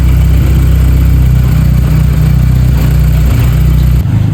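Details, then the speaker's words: MK5 VW Golf GTI at a cold idle on a cold day, recorded from the rear after a new PCV valve was fitted: fairly steady idle with a faint, occasional stumble. The misfire is reduced and the engine no longer shakes, but it still misfires slightly. "it's not as bad as it was before but you can still hear it a little bit misfiring if I come around to the back"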